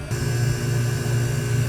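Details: 1988 Hatteras 65C marine air conditioning compressor, crew cabin unit, blowing cold air after control system replacement: smooth steady low hum with constant pitch, no rattling or grinding; compressor running normally.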